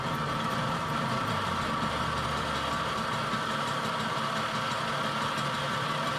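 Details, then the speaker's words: Tomos 50cc two-speed automatic two-stroke moped, first run after kickstart on old tank gas during repairs; steady coarse, rattly mechanical roar, owner says the bearings sound awful, motor not disassembled. "the bearings sound awful uh that is someone else's problem for later because I am not disassembling this motor"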